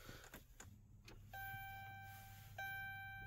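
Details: 2011 Chrysler 300C 5.7L Hemi with no crank, no click, on trickle charger: faint steady low hum under two dash chimes at key-on; fuel pump priming normally, starter connection suspected for the no-start.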